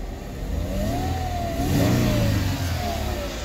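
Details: 2005 Mercedes-Benz CLK 320 running after a new key was made and the ignition reconnected. A smooth rev climbs and falls back cleanly, the note rising and easing with throttle and no knocks or rattles; runs healthy.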